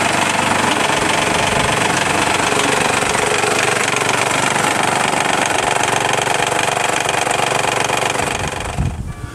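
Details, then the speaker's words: Isuzu Rodeo idling with the timing belt cover removed: rapid, harsh slapping rattle as the loose belt flops around; the tensioner, a compressed gas spring, has failed and the timing may need checking; timing belt slap from failed tensioner. "So the problem is the timing belt tensioner. Since it's hydraulically controlled, it can fail, and mine has. Because of that, the timing belt is real loose, and I'm amazed it hasn't jumped a cog."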